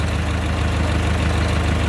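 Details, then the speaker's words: 1925 Durant Star Touring engine, hood open, vacuum-fed fuel system: slow, even low thrum with steady beats and no knocks or misses; normal smooth idle, starts right up. "See, it's a nice, smooth running engine. Sounds good. Starts right up when you know how to do it."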